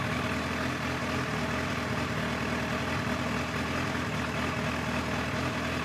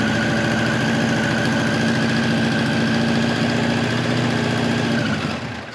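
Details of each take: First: 1989 Kawasaki ZX-10 (ZX1000) inline-four, Keihin carbs, after carb work and fuel pump hose replacement, in neutral: smooth, steady idle with even beat, no misfires or hunting; some smoke, likely crud from bad gas burning off; normal idle. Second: 1989 Kawasaki ZX-10 (ZX1000) with Keihin carbs, idling on the enricher (choke) with a fast, uneven, pulsing, lumpy beat; smells extremely rich of fuel and barely runs even with the enricher on.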